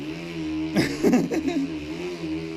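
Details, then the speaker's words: Tacx T2650 Blue Matic indoor trainer, just assembled, with a mountain bike: a loud steady droning hum with rougher surges, too loud to hear the TV; owner wonders if the tire causes the noise, cause unconfirmed. "tac-x is super loud I mean are all the battles and I cannot hear the TV you know"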